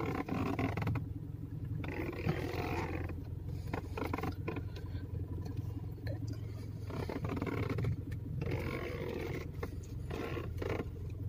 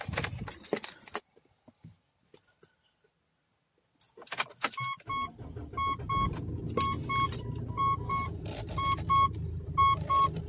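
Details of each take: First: 10-year-old Mitsubishi Pajero: rubbery squeak and groaning creaks over idle hum when turning the steering wheel, especially left; noise traced to the steering column, owner suspects a rubber part needing lubrication. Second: 10-year-old Mitsubishi Pajero idling under a repeating double warning chime after the steering was serviced: turning the steering wheel now brings no rubbery squeak, creak or rub; noise gone.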